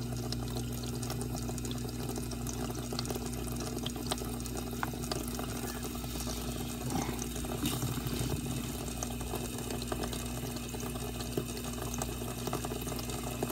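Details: Dishwasher test run after water inlet valve repair/replacement: steady hiss and trickle of water filling the plastic tub over a low even hum, uninterrupted, no drips; fill normal.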